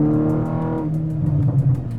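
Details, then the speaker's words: Car at 120,000 miles with new APR ignition coils and Brisk silver spark plugs, driving under throttle: clean, rising engine note pulling smoothly through the revs, then a gear change, no stumble or misfire; consistent spark, normal acceleration. "You can hear it roaring away in the engine, just how consistent that spark is, you can tell."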